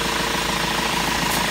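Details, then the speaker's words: 2004 Renault Master MK2 2.5 dCi diesel van, during a fuel filter change with the air box off: steady diesel clatter at an even idle, regular injector ticking, no misfire or hunting. Normal idle. "can hear the engine running."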